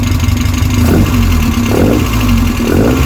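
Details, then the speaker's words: Westfield SEiW kit car engine, first start after 7 years unrun and a new cambelt kit, no coolant in, alternator not connected: blips up three times about once a second and drops back cleanly, smooth and even with no knock or rattle; ticking over well. "sounds good though. Sounds really good. Ticking over lovely, considering that's not been run for 7 years. I am well chuffed."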